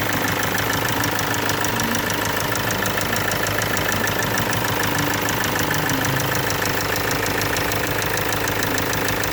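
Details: Kia Sportage 2.0 CRDi diesel at idle: fast, fairly even light ticking, about three per second, riding over the diesel clatter. Engine noise caused by failing hydraulic tappets (valve lifters).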